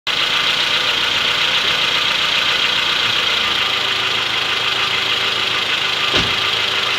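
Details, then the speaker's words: Honda Odyssey engine before teardown: a dull knock about three to four times a second from the cylinder 3 rod bearing. It is quiet at plain idle and knocks when throttle is given; diagnosed as a worn third-cylinder rod bearing. "Ну вот, до вскрытия, будем говорить, двигателя слабость гремит. Вот где-то третий вот здесь. Вот так не гремит, а вот когда газу дает."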